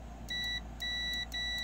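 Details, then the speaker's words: OMC Cobra / Volvo Penta SX sterndrive, engine bracket removed, continuity tester on the overstroke switch with drive in neutral: three clear steady high-pitched beeps about a third of a second each; overstroke switch closes properly. "right so neutral right over stroke works all right now you're going to be able to hear it just as if the engine was running"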